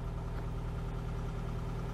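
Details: 1992 Oltcit petrol engine after carburettor fix: low steady even tick-over, no misses, knocks or hunting, healthy idle while wipers are tested.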